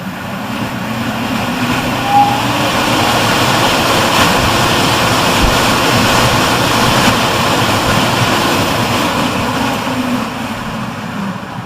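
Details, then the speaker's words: Rosenberg USA EC fan with control inputs jumpered (0–10 V analog/PWM to +10 V), so it runs at 100% with no speed control; click on power-up as it runs a checklist, then soft start, an airy rush building gradually to a steady, even roar with no rubbing or ticking. "Once power's been applied, you'll hear a click. It's going through a checklist and the fan will slowly start to come up to speed."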